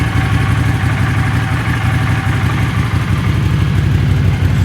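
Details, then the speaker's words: Honda CX500 twin, warm, first start after carb clean/rebuild and bench sync, idle screw set to about 1000 rpm: deep steady burble, holds even idle without choke; earlier choke-only idle and warm white smoke now gone. "previously i could not get it to idle without the choke on and when it got warm it would skew a ton of white smoke so both those problems seem to be gone now"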